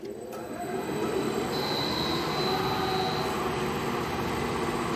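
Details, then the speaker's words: Rebuilt Eddy Giant huller with new bearings and technician-checked electric motors, started via the VFD speed controller. Motors spin up with rising tones, then a steady high-pitched whine over the rumble; normal VFD whine. "that high-pitched whine is because of the variable frequency drive. That's what VFD stands for."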